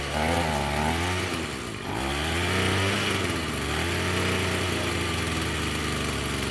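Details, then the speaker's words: Echo SRM-210 two-stroke string trimmer after purge bulb replacement and a straightened idle screw set higher: brief blip, then a steady, even buzzing idle with no stalling; normal idle. "I would say that's running pretty good."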